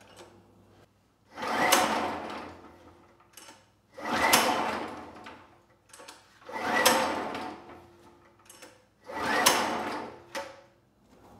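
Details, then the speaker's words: Generac GP5500 generator engine, previously locked then freed, quit after two days, has compression: four slow recoil pulls, each a harsh scraping rasp with no firing; terrible noise when turned over quickly, internal or external source unknown. "it has compression and it turns over but the issue is when you turn it over quickly it makes a terrible sound so I'm not sure where that noise is coming from if it's internal or external"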